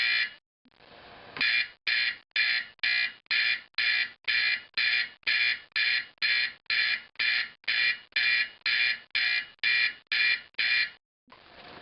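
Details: Simplex 4051 horn converted to a 24 V AC 4050, final test after reassembly: a loud, harsh buzz pulsing evenly about twice a second in a clean, repeating pattern. The horn sounds properly.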